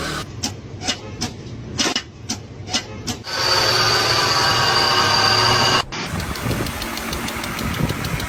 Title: Does your car make a weird noise when youstart it#CarSoundExplained #CarMaintenanceTips#FixThatNoise